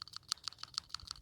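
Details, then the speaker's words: Original PCV valve removed from a 2004 Toyota RAV4 2AZ-FE, 258,000+ miles, burning oil: shaken by hand, about ten light crisp clicks in just over a second; plunger moves back and forth freely, not badly gummed; replaced anyway as maintenance. "does move back and forth. You can hear that on the microphone. And it doesn't look super gooped up, not with all the amount of oil that it's burning."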